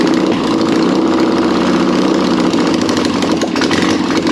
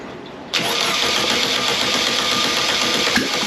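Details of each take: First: Air-cooled 1600cc VW Beetle flat-four, a candidate for a 1974 VW Bus project, running with no exhaust or headers fitted: loud, raspy, even running with no knocking, a healthy engine. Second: Air-cooled 1600cc VW Beetle engine (candidate for a 1974 VW bus), long-stored in a hot garage, second start attempt revved from the carburettor: it catches after a cranking lull and runs rough and uneven; fuel starvation, running only on the accelerator pump.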